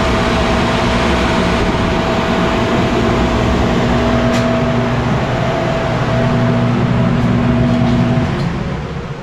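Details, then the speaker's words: 1991 Snyder General dedicated-horizontal office furnace, not much better: steady drone with buzzing hum through the run, then winding down; blower motor thought too far gone, replacement recommended. "Okay, well, I'm going to recommend a blower motor, but it was a 1991 unit."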